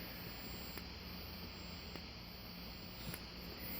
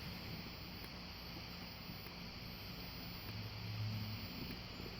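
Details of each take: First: Wheelock 117-candela fire alarm strobe gives a thin, steady high-pitched squeal with a soft click about every 1.2 seconds as it flashes. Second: Wheelock WMT-24-FR remote strobe: a thin, very high steady whine dips with a sharp pop at each flash, roughly every second; this is normal strobe charging sound.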